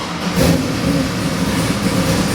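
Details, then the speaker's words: Custom-built Chevy LS7 441 cubic inch crate engine with drive-by-wire throttle body, run on the stand before going into a 1969 Camaro; it catches and settles into a deep, loping muscle-car idle with an uneven chop and a quick blip, healthy. "beautiful. Nice muscle car chop to it too."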